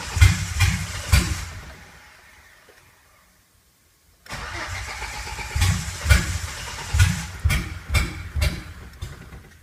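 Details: 2008 Silverado V6 Vortec swapped into a 1987 4Runner, MegaSquirt MS2 with logic spark outputs firing a coil pack, 60-2 reluctor: uneven bursts and sharp pops about once a second while cranking, misfiring and backfiring, never catching.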